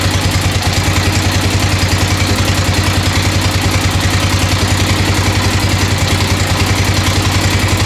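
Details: 1996 XR600R single, first cold start on choke, idling with a steady light clatter of about three ticks a second over the thump. The owner suspects the right front valve needs adjusting.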